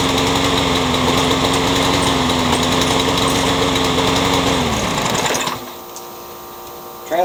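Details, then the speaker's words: Curb-found Troy-Bilt 21-inch self-propelled mower with a newer Briggs engine, blade having hit a railroad tie, with crankshaft play and owner suspecting a bent crank: drone with wavering pitch and uneven beat about five seconds, then dies; running rough, not driving. "so it runs but not very well"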